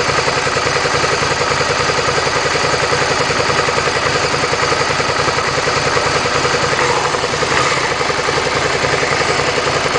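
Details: Suzuki SV650 V-twin, warm engine at idle: busy metallic clatter pulsing about three to four times a second over the exhaust; engine noise when hot, source not identified.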